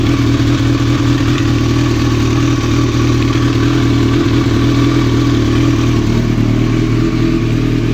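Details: 1995 Kawasaki ZX-9R four-cylinder idling steadily with a light, uneven clattering engine knock over the engine note.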